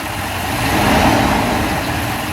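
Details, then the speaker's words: 1996 Mercedes S420 with a newly installed fan clutch: loud, steady rushing roar of air as the fan clutch locks up and pulls hard through the front; normal fan clutch engagement. "the new fan clutch is installed you can hear the fan is working and I can actually feel the air"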